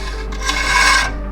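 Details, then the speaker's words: BMW E46 after coilover install: turning the rotor by hand gives a dry scraping rasp that swells and fades as the brake disc dust shield behind it rubs on the rotor. "There's a brake disc shield behind it, and it is rubbing on the rotor when it turns."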